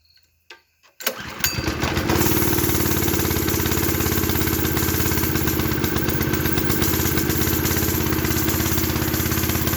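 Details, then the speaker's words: Custom mini bike with a swapped Honda clone small engine: catches after a brief crank and settles into a smooth, regular idle with steady firing, no knocks or missed beats. Normal start and idle. "There we go! She's idling for us."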